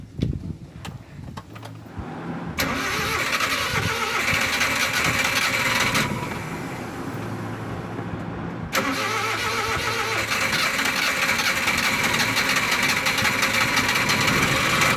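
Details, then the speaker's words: Suzuki van after DIY distributor cap replacement to fix hard starting: a short crank, then the engine catches promptly and settles into a steady idle, a quick, healthy start. "Guys, umanda na po. So, kung napapansin ninyo, naririnig ninyo, yun lang po guys."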